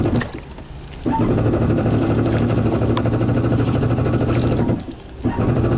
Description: Yamaha says there is nothing wrong with the Waverunner yet every time I get on the water it is hard to start.